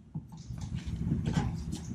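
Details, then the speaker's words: 2004 Honda Accord, outer tie rod already replaced and grease didn't help: low creaking squeals in short bursts as the steering turns with the car's weight on the ground. Worn inner tie rod joint. "the sound is there it's coming from the inner joint of the tie rod when it has a load on the car just sit in the ground it's squealing really bad from in here"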